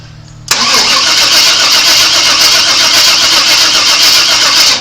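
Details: 1997 Chevrolet Suburban that sat broken for years: steady fast cranking, about four beats a second, never firing; spark test at the coil wire follows, owner suspects a poor ground or a distributor not putting out spark. Crank, no start.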